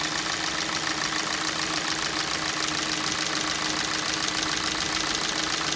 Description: Стук в двигателе на холодную g4na по мере прогрева, стук проходит.